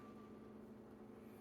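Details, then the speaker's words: Nintendo Switch after fan replacement (previously made a terrible whirring RRRR noise): very faint smooth whir, no rattle or grinding; new cooling fan runs quiet. "The fan's working. It sounds good so far. It doesn't look like it's doing the horrible noise anymore, so it looks like the fan's fixed. I didn't know a Switch could be so quiet."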